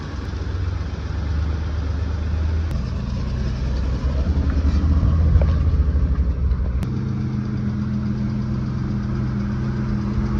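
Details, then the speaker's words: 1995 BMW E34 Touring, 5-speed, M50 engine about to be pulled for an S52 swap: smooth, even six-cylinder idle, low steady hum, no knocks or misses. Still a healthy running M50. "here's our M50 that we're pulling out of this thing still a good healthy running M50"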